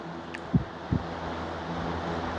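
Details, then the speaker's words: Vintage Brinsmead fan that vibrated badly after falling off a bench, after repair running on high while sitting on a towel: even hum and rush of air, only slight vibration. "It is sitting on the towel, but there's no vibration at all, or very little, just a little bit."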